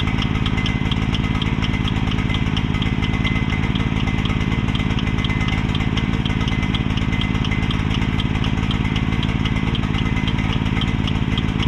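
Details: Mini excavator with pull start, bought broken from a neighbor and just repaired, left running while the track is refitted; small single-cylinder engine chugging at a steady fast idle with even pulses, smoking and running rich because the choke was left on.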